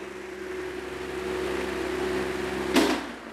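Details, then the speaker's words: Pedestal fan after replacing the weak capacitor that caused humming and slow speed, at highest speed: steady, even motor hum with no growl or wobble, spinning smoothly and fast, then a single handling knock. "ഇനി ഇതിൻ്റെ highest speed നോക്കുക. ഇതിൻ്റെ highest speed നോക്കിക്കഴിഞ്ഞാൽ നല്ല സ്മൂത്തായിട്ട് നല്ല speed കറങ്ങുന്നുണ്ട്."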